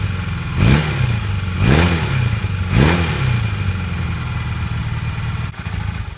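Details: 1982 Honda CB450 after new petcock and airbox parts, idle set: three quick throttle blips rise and fall cleanly over a steady idle; picks up crisply, in good shape.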